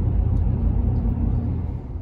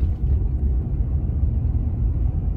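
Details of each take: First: 2010 Ford F-150 4x4 driving over bumps after replacing the worn anti-sway bar links: low steady road rumble with no front-end clunks. The previous hollow thunk from a loose link joint is resolved. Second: 2010 Ford F-150 4x4 driving over small bumps: steady road rumble, then hollow thunks from the front passenger side, traced to a loose-jointed anti-sway bar link, replaced with Motorcraft links; worn sway bar end link.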